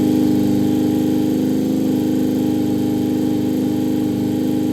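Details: Vintage Honda 400 Four, 4-cylinder SOHC motorcycle, first start after fitting carbs and coils and setting points, fuel on reserve, on choke, no throttle cable: steady smooth hum at fast even idle, no misses or knocks; running fine.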